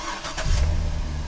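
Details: C6 Corvette started after a DIY water pump, belt, thermostat and housing replacement and a coolant top-off. A short crank catches quickly and settles into a low, smooth idle with no squeal or rattle; it starts and runs fine.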